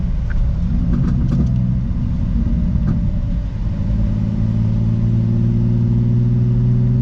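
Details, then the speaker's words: Car on a test drive after spark plugs checked and a leaking vacuum hose replaced for a misfire: steady, smooth engine hum building with road speed, no stumbles or skipped beats; running cleanly now. "alright guys was so far she sounds pretty good"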